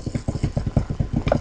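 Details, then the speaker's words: Old motor over 40 years old run slowly on a universal motor speed controller at setting two: a quick, steady thump-thump knocking about six beats a second, owner suspects worn bushings. "i mean i can hear the bad bushings that are you know bad because they're more than 40 years old"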